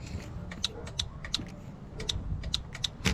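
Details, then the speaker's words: Harley-Davidson with LP6 light and light bar on homemade relay harness, low and high beam relays: crisp separate clicks every third to half second as relays engage and disengage when switching beams; normal operation. "you hear that little clicking that's the relay that's the contact engaging and sending power"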